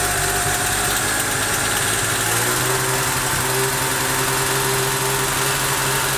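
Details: Daewoo Matiz engine, towed in, started by a miracle: steady but lumpy, wavering idle with misfire, very unstable running and heavy smoke; cause not yet known, diagnosis pending.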